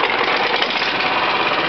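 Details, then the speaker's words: Honda lawn mower engine running with the badly bent blade removed: fast, even buzzing chatter, steady level, no lurching or shake; much smoother than with the warped blade, which caused the rough running. "so much smoother without a blade"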